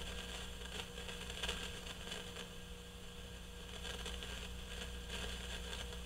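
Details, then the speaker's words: GE CX371 receiver amplifier during restoration: irregular scratchy crackles and pops, about five bursts, come and go over a low hum. The cause is an intermittent noisy carbon composition resistor, easily mistaken for a noisy tube. "that would be horrible to leave that resistor in circuit because you know what you would be doing next you'd be going oh i have a noisy tube"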